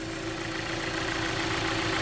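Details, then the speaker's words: 2014 Jeep Patriot, about 94,000 miles, with overheating history, warmer day, hood open: steady idle with a light quick tap over direct-injection clatter; suspected lifters, much quieter than the loud knock when cold the night before. "but there's a little bit of a tap there like I said again nowhere near as bad as it was last night but it was cold last night and today it's a little warmer and they said that sometimes those lifters are louder whenever it's colder"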